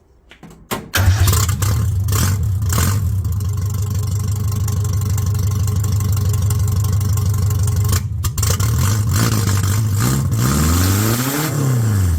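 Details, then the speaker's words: Car started with dash jerry-rigged, jump pack, new extractors (headers) just fitted; catches after a short crank, steady even idle, clean throttle blips; normal idle. "well there she is running with me new extractors on"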